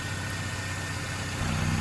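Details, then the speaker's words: Truck at idle: even note shifts higher and busier as the PCV valve is pulled off, RPM change showing the PCV system draws vacuum properly. "Oh, you can hear the RPM change, that's for sure."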